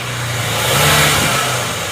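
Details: Suzuki Ertiga common-rail turbo diesel after an engine teardown that began as an oil-leak repair: revved up and dropping back cleanly with no misfire or knock, and no exhaust smoke; problem solved.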